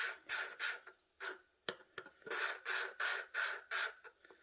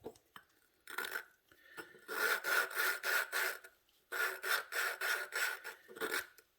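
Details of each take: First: Hand valve lapping on a 20HP Briggs Vanguard engine head with a suction-cup tool, pushing down: steady back-and-forth gritty rasping strokes, about three a second, growing less gravelly as valve and seat lap in smooth. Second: Hand lapping the exhaust valve with a suction-cup tool, pressing down, on an 18 hp Vanguard head; gritty rasping at about three strokes a second, seat not yet bedded, becoming less gravelly as it laps in.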